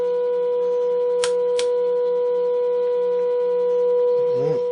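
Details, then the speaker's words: Mid-1950s Eico 324 signal generator under restoration, internal AM modulation on, probe near AM radio, dirty uncleaned controls: steady pure tone near 500 Hz with brief wobble as control turns; modulation output working. "If I turn on the internal AM modulation, we should hear a tone. And we do. It should vary with this."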